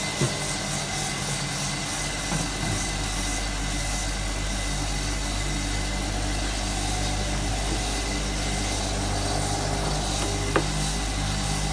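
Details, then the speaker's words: Hotpoint Supermatic De Luxe 9414 twin tub spin dryer on its final spin, new belt fitted so it is much faster and smoother: steady even whirring hum at constant pitch, no knocks or scraping; normal spin. "the spin speed on these are incredible"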